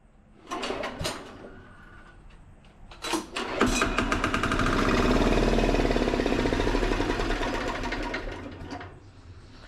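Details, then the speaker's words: Gravely Model L repowered with a 10 HP Yanmar L100-clone single-cylinder diesel, first start after bleeding the injector line: several cranks, catches, settles to fast steady chug with loud rattle from the bouncing exhaust; runs fine. "Well, that's what we call a good sign. The exhaust is bouncing all over the place. That's making most of that noise."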